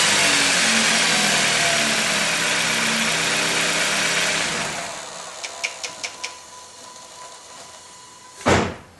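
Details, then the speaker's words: 2008 Dodge Avenger: with the accessory belt removed, a noisy start settles into a quiet, even idle and the rattle is gone, so the noise is in the belt-driven accessories; the later fix was a decoupler pulley. "there and as you heard the noise is no longer there so it's definitely somewhere in one of our assess ACC"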